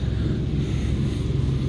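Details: Rooftop ERV above Trane water-source heat pumps: heavy steady rumble and throbbing vibration felt in offices below, from slight bearing play, loose misaligned belts and debris in the blower wheel.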